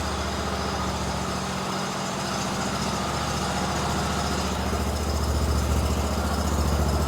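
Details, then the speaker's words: Kohler engine on a Hustler Raptor SD mower after tune-up with new spark plugs, air filter, fuel filter and oil change: starts right off, low, smooth, even thrum with no misses or knocks. "let's go ahead and fire it up for a second my man pops right off new spark plugs"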